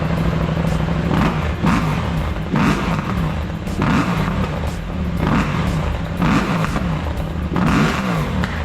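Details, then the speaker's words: KTM 790 Adventure R with new intake and Power Commander 6, after fuel pump problems fixed, warmed up: repeated sharp throttle blips climbing cleanly and dropping fast with a crisp deep bark, spitting flames; revs freely and sounds healthy. "I'll give her some revs. It now spits flames. She sounds mean."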